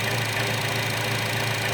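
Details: 2012 Chevy Cruze 1.4L with a valve cover vacuum leak, later fixed by replacing the valve cover: a steady, even idle with no hiss, hunting or stumble.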